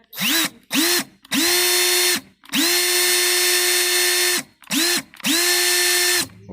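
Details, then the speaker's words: Makita HP333D cordless drill/driver, brought in for strange noise and jamming: six trigger pulls spin the motor up to a clean steady whine and smooth wind-down; battery, switch and motor fine, broken housing later replaced. "Tá funcionando a bateria tá boa tô tá bom né e o motor também está bom"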